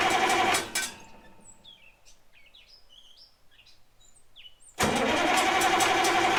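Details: 1965 Allis Chalmers TL645 loader, turbo 6-cylinder AC 3500 diesel, after 10+ years idle, with the Stanadyne injection pump reinstalled and injector lines cracked to bleed: cranks steadily at about four compressions a second but never catches, as fuel isn't reaching the pump.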